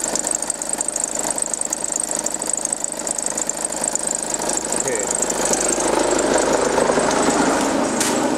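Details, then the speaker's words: 2009 VW Passat B6 2.0 TDI, timing belt changed about nine months earlier, at idle: steady chatter about three per second with a thin high hiss; spraying the ribbed belt changed the noise, pointing to the ribbed belt or a bearing. "also keilgrippenriemen entweder irgendein Lager oder der Riemann glaube ich habe auch noch einen neuen Riemen da"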